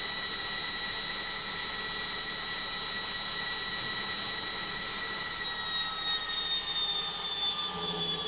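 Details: Logik washing machine on spin: a loud, high-pitched whine holds steady through the spin, then drops in pitch as the drum slows; source of the noise unconfirmed.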